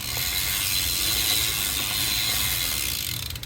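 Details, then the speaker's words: SE Bikes Big Flyer bicycle, original freewheel before upgrade, wheel back-pedaled: quick dry ratcheting clicks with an audible ding showing slack before the pawls catch; freewheel engagement play, replacement has practically zero play. "And there's actually hear that little ding there. That's like that's how much play is in there before it catches and, you know, gets a bite so that you can pedal to carry your motion forward."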